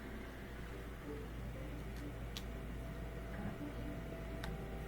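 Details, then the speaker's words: Miele Incognito dishwasher whose circulation motor previously ran about 10 seconds then paused 10 seconds, tested after a fix. A steady low hum with soft water swish and no cutting out; the circulation pump now runs continuously. "so before it would circulate for about 10 seconds and then cut out rest 10 more seconds cut out rest I think it's continually circulating now"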